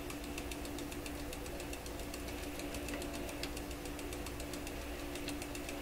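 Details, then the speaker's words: Webster record changer motor in Electrohome Chippendale console, powered on after repositioning the motor, which slowed it: loose rhythmic knocking each revolution over steady hum; owner suspects the rotor whacking against something every turn, unconfirmed. "Jeepers. That sounds just terrible. Really loose. Well, you know what it sounds? It sounds like the rotor is coming around and whacking against something every time it goes around."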